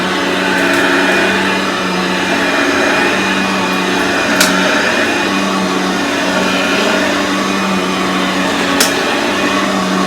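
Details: Aeros upright vacuum cleaner model U162C, old unit, first test after unboxing: steady even motor whir with constant hum, no grinding or labouring; vacuum motor running normally.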